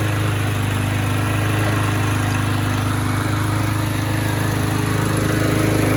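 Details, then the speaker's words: Trash-found, badly abused Troy-Bilt mower, small single-cylinder engine with almost no compression, missing air filter, carburetor untouched, fresh gas, started with a drill: steady even putter at constant speed, no misses or surging; runs surprisingly well. "Kind of surprising. It actually seems to run pretty good."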